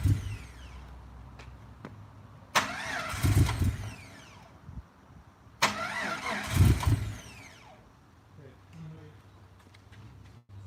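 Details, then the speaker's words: Rebuilt engine, timing already set and firing order checked: two bursts of cranking, each catching briefly with a few ragged firings, then dying. Crank-no-start; it runs a few seconds as if choking. "I mean it'll it'll start and run for a few seconds and the timing timing sounds right it's like it's it's just choking"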